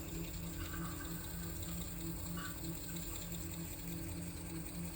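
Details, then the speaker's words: Laguna 12/16 wood lathe with Nova G3 adapter: soft rhythmic chatter, about three pulses a second, as an Allen wrench rides the spinning chuck adapter; suspected machining defect/runout in the adapter, since the bare spindle runs smooth at same rpm. "think I figured out what's going on with my Lagoona. Um I think there's a machining issue with the um adapter that runs from the Lagona threads to my chuck."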